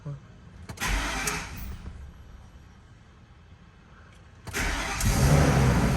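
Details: Totaled 2006 Ford F-350 V10 with under 6k original miles, first start after rebuild: it cranks briefly, pauses, then fires into a steady low idle without knocks or stumbles; it starts and runs healthy.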